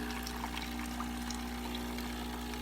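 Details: Breville BES840XL espresso machine after a completed full service/tune-up, final test shot: steady low pump hum with liquid trickling, no rattle or harsh buzz; pump operating normally.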